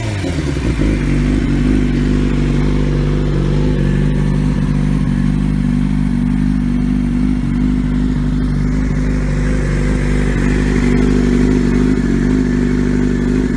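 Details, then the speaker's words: 2003 Yamaha YZF-R6 after ignition coil fix, which had caused rough idle and no power below 8,000–10,000 rpm, exhaust dented: a smooth, even four-cylinder hum with no misses or popping, all cylinders firing cleanly. "so I'm happy it's fixed now the bike sounds much better even though my exhaust is still dented in because I'm an idiot but that's besides the point overall she sounds good though"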